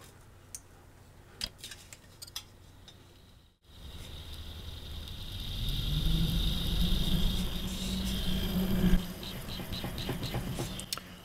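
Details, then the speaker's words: Very old PC power supply fan run 24/7 for 50-60,000 hours: it spins up with a rough, rasping buzz and a thin whine because its bearings are worn out. "it's very old and it's been running 247 and as a result of that the fan makes this noise"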